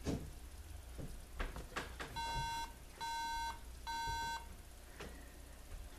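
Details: MacBook Pro that won't boot or show video, giving three beeps repeated about once a second. The memory error code suggests RAM; cleaning and reseating both modules didn't fix it, and modules are being tested one at a time.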